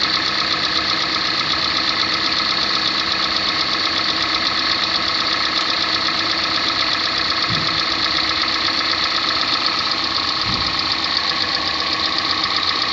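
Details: 2014 Kia Sportage 3 facelift, AWD, 13,000 km: fast, fairly even metallic ticking about four per second over a steady idle. Engine knock, cause unclear.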